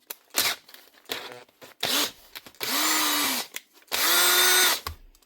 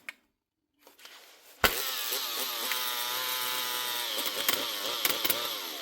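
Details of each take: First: Makita 18V cordless drill from a repair box, first test: short bursts of high motor whine rising and falling evenly with the trigger, plus chuck ratchet clicks; it runs normally, the chuck closes fully and both speeds work. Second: Makita DHP458 18V brushed cordless drill running rough: a high, rough motor whine wavering unevenly in pitch. The brush holder has melted; the armature may also be gone.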